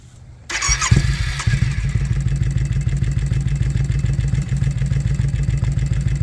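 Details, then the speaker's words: Twin-cylinder ATV: starts and settles into a lumpy, uneven low thumping idle, seemingly firing on one cylinder. The earlier ticking from the airbox is gone. A new idle bypass valve is still to be fitted; cause not confirmed. "so that's definitely firing off one cylinder I also noticed the ticking sound went away"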